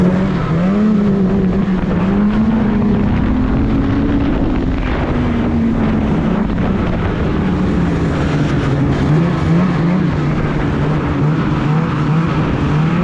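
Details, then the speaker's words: 2016 Polaris Indy 600 SP two-stroke snowmobile: reaches 6,500 rpm only by feathering throttle, runs out at half throttle with a flat wavering buzz, won't climb past mid revs. Fuel starvation from a plugged fuel filter. "I could get it up to 6500 but I had to really feather and play with the throttle it's like soon as you hit half throttle just that's all she had so there's definitely something going on"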